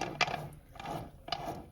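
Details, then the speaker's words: BMW Z3 small 4-cylinder, gearbox removed after terrible gearbox noises: hand-spun input shaft gives a rough, gritty rattle with clicky bursts. Excessive input shaft play and worn bearing, so the gearbox was replaced. "Turns out, if you look here, you grab the shaft, you get a good hold of it, and then you go. And then when you spin it, you can hear there's like a bearing noise."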